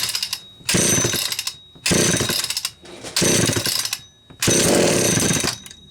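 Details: Homelite Super XL two-stroke chainsaw after cylinder base gasket fix, points filed and gapped, starter rope and fuel cap valve serviced: four revving bursts, each catching cleanly and buzzing high before dropping off; runs normally.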